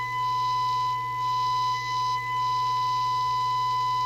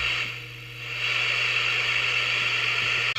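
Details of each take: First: PE Ranger 1981 half-watt 6-channel crystal-controlled CB27/81 transportable (late version, better output filtering), receive alignment, audio taken from speaker: steady whistling test tone, rough buzzy edge, low hum beneath; distorted received audio, receiver out of alignment, needing L106/L107 adjustment per manual. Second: PE Ranger 1981 6-channel 500mW crystal-controlled CB27/81 transportable, receive alignment: loud, even hiss with no signal, steady apart from one short dropout, as L106 and L107 are adjusted per the manual; receiver noise peaked after alignment.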